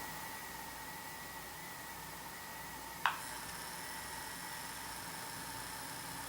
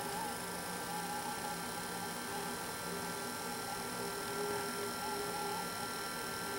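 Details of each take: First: Intermountain GP10 locomotive with LokSound Full Throttle decoder, sound muted, Digitrax control, moving under low power before CV124 change: faint steady buzz from the motor; fix is setting CV124 to reduce hum. Motor hum. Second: Intermountain GP10 locomotive with LokSound Full Throttle decoder, under throttle after setting CV124 to 4: low steady hum with faint whine, smooth, some residual noise but far less than before. Quiet motor running with slight hum.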